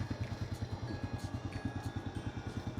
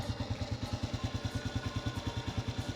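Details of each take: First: Honda motorcycle with sidecar, over 10 years old, parked about a year, no battery fitted: small single putters at an even beat with no clatter or misses; owner says engine is smooth and quiet; normal idle. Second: Honda motorcycle with sidecar, over 10 years old, parked about a year, no battery fitted: small single idles with a quick, even beat, with only a faint light chain rattle; slight chain noise.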